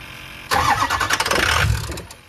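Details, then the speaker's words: Ford F350 6.0 Powerstroke with MAP sensor unplugged during diagnosis: engine fires, runs roughly about a second and a half, then fades out and dies; starts then stalls, cause not yet found. "culprit he off wow I don't quite know what the heck is going on here"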